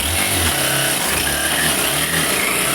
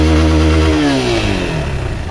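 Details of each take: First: Honda XRE 190 motorcycle, engine running: intermittent rattly whir over the exhaust that comes and goes; suspected worn primary (clutch) shaft bearing, to be confirmed on teardown. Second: Honda XRE 190 motorcycle after engine repair with original parts, in gear with the clutch released and revved: clean single-cylinder rev falling away smoothly, the earlier strange engine noise gone; engine and gearbox sound healthy.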